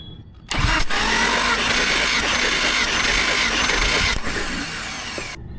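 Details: Jeep six-cylinder cranking on the starter for about five seconds during a compression test of cylinder 5, which reads 140 psi: even, steady rhythm with no stumbles; normal cranking.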